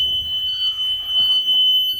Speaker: Opening the rear emergency exit door. The handle opens properly. As you can hear, the alarm is sounding.